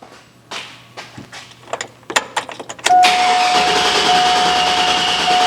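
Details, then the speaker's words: GM Silverado (99-07 4.8/5.3/6.0 V8 family) intermittent crank no-start after sitting, starts on second key cycle: uneven starter bursts that won't catch, then fires and idles with chime; camshaft position sensor suspected. "so we're going to throw in an AC Delco cam sensor and see if that takes care of the problem"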